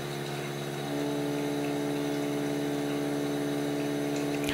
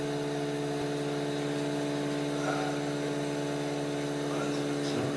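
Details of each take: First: Osminion Slim Mix water filter unit, about 4 bar line pressure gauged in 3/8-inch hose: pump hum changes as the inlet valve is slowly closed, a firm louder tone rising and holding, pump labouring on restricted water supply while gauge pressure stays unchanged. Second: Osminion Slim Mix water filter with about 4 bar line pressure: after the supply valve is reopened following a low-water fault, a steady, even pump hum with faint whir, no surging or sputtering, before winding down; running normally.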